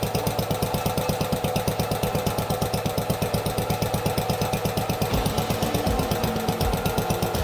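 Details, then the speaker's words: Allis Chalmers B-10 tractor's first start in years after teardown, cleaning, rewiring, fuel tank and new hose. Carburetor idle screw turned up. Cold engine warming at fast idle with a regular single-cylinder thump, mostly even, slight wobble near the end. "We're going to turn this one right here until it idles up the engine about 1,200 RPM. And that'll be it."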